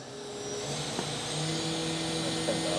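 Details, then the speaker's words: 2015 Doosan DNM-400 II vertical machining center, Fanuc 0i-MD control, 12,000 RPM CAT40 Big Plus spindle, running at 2,500 then up to 5,000 RPM: clean, steady whine holding one pitch, no grinding or rumble; normal spindle running. "This is 2,500 it's running right now. 2,500 RPM, you can't even hear it. Going up, 5,000 RPM."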